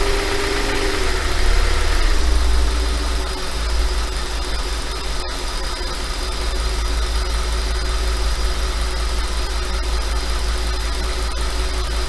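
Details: Engine noise from an Audi 5.2 FSI: a light rattle rides on a deep steady idle at slightly raised idle speed; the owner asks whether it is normal and suspects piston slap, not confirmed.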